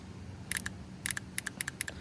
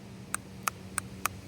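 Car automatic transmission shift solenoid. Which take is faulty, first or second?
second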